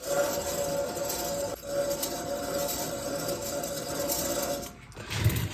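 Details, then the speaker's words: Removed wheel bearing from a 2016 Ram 1500 EcoDiesel RWD spun by hand: rough gritty grind with ringing hum; it howled and squealed while driving. "Definitely makes a lot of noise. It was doing some howling and some squealing while I was driving down the road."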